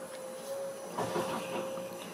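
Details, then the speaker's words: 2017 Dacia Duster 1.5 dCi 110 hp during service, after diesel filter change: electric pump primes on ignition, steady mid-pitched hum with soft gurgle as air in circuit fills the diesel filter; normal priming, then starts well, no leaks. "on entend que ça gargouille normal il y a de l'air dans le circuit c'est en train de remplir tout doucement notre filtre à gazoil"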